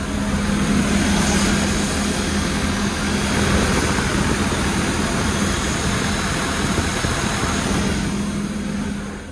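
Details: Construction machine diesel during engine oil leak job, oil and coolant topped up, run at low idle while warming: even, steady beat with no knocks or misses; engine running smoothly.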